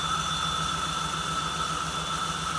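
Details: 1979 Jeep CJ-5 started for the first time after sitting 29 years: steady airy hiss with a thin whistle over a lumpy petrol idle, a vacuum leak; no ticking heard.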